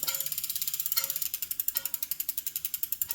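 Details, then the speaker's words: Mountain bike 29x2.1 wheel after tire replacement, disc brake rotor rubbing the pads: light metallic ticks about three a second in step with the spinning wheel, fading and returning when the brake is pulled; gone after adjusting the caliper pad spacing. "And that sound is brake related because when I pull the brakes, that sound gradually disappears and then reappears."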